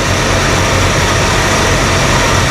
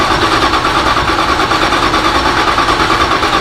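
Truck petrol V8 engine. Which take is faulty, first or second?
second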